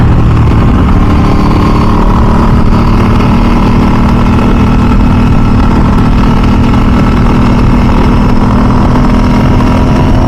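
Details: 2000 Ducati 996 SPS V-twin on its first ride after a full service, cruising in mild Southern California weather: a deep, even exhaust pulse holds steady with no knocks or rattles, sounding healthy and amazing.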